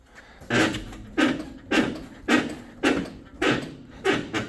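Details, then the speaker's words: 1967 Chevy Nova with a CPP mini subframe and two-year-old ball joints, after a brake pad swap: dull clunks about twice a second from the front end. Owner unsure whether ball joints or the spindle are loose. "noise now is that ball joints or is that the spindle"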